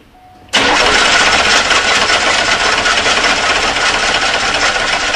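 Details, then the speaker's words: 1991 or 1992 Oldsmobile 98 that died while driving and was towed in: steady fast starter cranking about four turns a second for five seconds, engine never catches; crank, no-start. "On this car, it died while driving and then would not restart and was towed in. So we're going to go ahead and verify that it still does not start."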